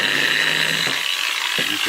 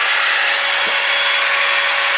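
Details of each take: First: Makita 9565CVR 1400W 125 mm variable-speed angle grinder, run at lowest speed, customer says it shakes and lacks power: wavering high motor whine with ratchety rattles and uneven surges instead of a clean spin; faulty armature, needed replacement. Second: Makita 9565CVR 1400W 125 mm variable-speed angle grinder after new armature fitted and brushes refitted: smooth steady high whine at full speed, even falling pitch coasting down, no rattle or scraping; normal running, original fault was armature.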